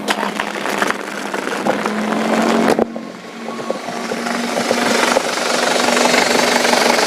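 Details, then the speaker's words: 2010 Isuzu Panther pick-up turbo diesel just started after oil dipstick blow-by check: fires and settles to an even calm idle with no metallic knock or odd noises; healthy diesel. "dari suara sih mobil ini suaranya masih anteng ya masih enak didengar gitu"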